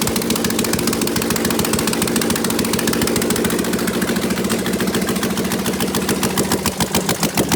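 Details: Prepped V8, open headers, open loop, mass airflow sensor unconnected, old thin oil giving about 32–36 psi at idle: lumpy loud idle with even steady firing pulses, no knock or tick; healthy.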